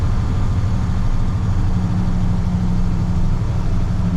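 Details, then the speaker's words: 1998 International 4700 DT466e diesel on test drive after high-pressure rail gasket replacement: smooth, fairly quiet steady drone with no clatter or knocks, quieter than a 7.3; normal running, no leaks. "But this engine is much quieter than the 7.3, I have to say."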